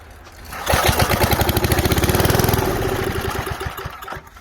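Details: 1978 Billy Goat Winro blower, 5 hp Briggs points engine, with starter fluid and bottle-fed fuel: a pull, then fast chuffing pulses under two seconds that fade without running on; carburetor suspected.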